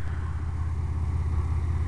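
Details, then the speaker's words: GMC truck idling smoothly on wood gas from a homemade gasifier, with fuel injector fuse pulled and fuel pump left running; one intake hole masked for mixture, owner unsure if too lean. Steady even low rumble, no misses: normal idle. "okay YouTube uh whoever is interested um idling on wood gas"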